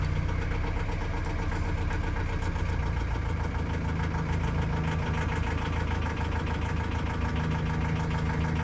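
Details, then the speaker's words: Ford Transit Custom Mk7 diesel starter cranking test with battery tester: even, steady low churning at about four beats a second, no dragging or stalling; cranking rated normal, starter not drawing too much current, just a noisy start. "so as i say it's okay to be fair but obviously we so it's just a noisy start so it's obviously not drawing too much amp"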